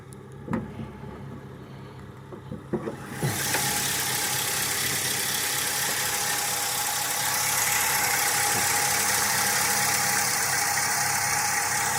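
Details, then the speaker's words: 2002 Ford Crown Victoria 4.6L V8 with 103K miles, cold start at about 50°F, intermittent: clicks, then a lumpy, uneven idle, with a smell of unburnt fuel, so rough idle; idle air control valve suspected. "that's good it's chugging along like it's four decades old good grief and the thing is it doesn't do this every time just sometimes"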